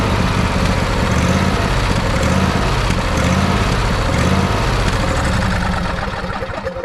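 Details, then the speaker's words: Craftsman YT4000 riding mower, Briggs & Stratton 24 hp 724cc V-twin, cutting in and out: rough uneven run with pulsing rumble, surging, popping and crackling; air leaks sprayed for, spark plug next to try; cause unconfirmed. "like we're still getting a little bit of surging from the thing uh still getting a little bit of popping and crackling"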